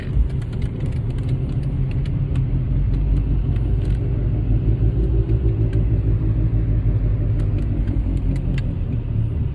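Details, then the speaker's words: 2008 Mercedes-Benz CL550 W216 at speed: deep, steady droning rumble with cabin vibration, in harmony with wheel rotation, tone changing when turning left; owner concludes passenger-side rear wheel bearing, plans hub assembly replacement. "the vibration throughout the cabin is obvious it's not just sound but also vibration"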